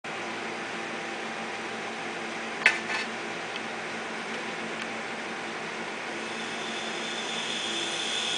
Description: 500gig Maxtor Hard Drive... Head crash, both sides, all platters.